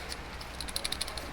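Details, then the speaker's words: Nissan Skyline R32 driveshaft center support bearing, removed and rocked by hand: light quick metallic clicks showing looseness; worn bearing causing banging on acceleration and deceleration, replaced. "You can hear how loose this is."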